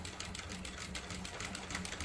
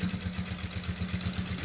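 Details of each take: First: Sewing machine with size 16 needle stitching thick cloth (nine to ten layers), using soap and machine oil on the fabric to prevent needle breakage: quick even stitching around three per second over steady motor hum; normal sewing. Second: Sewing machine stitching a thick seam with no soap yet on the cloth: firm steady thud-thud needle knocking about eight a second; soap and machine oil on the fabric soften it and prevent needle breakage.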